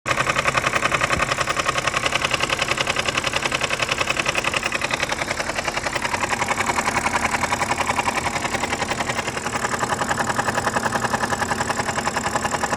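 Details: BMW 5 Series F10 with N52B25 engine on cold start: a sharp, regular knock of about three to four per second over the idle that stays steady; oil pump knock, fixed by replacing the oil pump.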